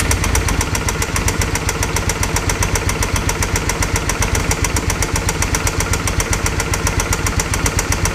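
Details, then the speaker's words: Original engine of a 2005 Suzuki V-Strom 650 V-twin at 39,000 miles, started on jumper cables with the oil never checked: hard, evenly spaced metallic knocks about four a second over a rough idle. Suspected lower-end noise, rod knock, and an engine replacement is planned. "kind of determine if it really is, lower end noise, and then if so, we'll do an R&R on the engine."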